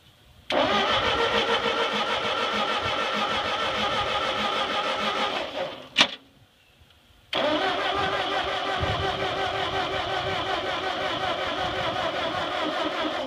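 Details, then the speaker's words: Ford 8N tractor that sat 4-5 years, no gas yet, with a fading battery on charge: steady starter churning, a pause, then more cranking; it tries to fire but never catches. Cranks but won't start. "well let's uh let's get some gas I heard it trying to Fire and uh let's put some gas in this thing and see what it does"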